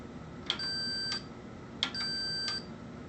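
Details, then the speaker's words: Amana Radarange RR-1000 microwave door interlock switch tested for continuity with the plunger pushed in: two clean high beeps show the normally-closed contact closing; the switch is good. "and this contact should be closed okay that one seems to be good"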